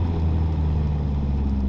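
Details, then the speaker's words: Nissan S13 Silvia/180SX driveshaft after centre bearing replacement, driving in first then second gear: steady low drone with no whine or hum from underneath; quiet driveline, noise remaining only in fourth gear (1:1) in a certain rpm range. "no noise. Second gear, not really any noise."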